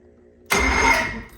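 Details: Starter on a 1974 StarCraft boat, tested after rewiring the boat's electrical accessories: short crisp whirr of the starter engaging and spinning freely for under a second; starter works normally.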